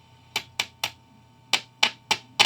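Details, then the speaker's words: 1955 Magnatone 108 Varsity Deluxe tube guitar amp, tube-tap test with the mic pointed at the speaker. Rectifier and power tubes stay silent, but tapping the 12AX7 preamp tube gives seven sharp pops through the speaker; that tube is microphonic and bad. "bingo hopefully you can hear that yeah so that tube is bad"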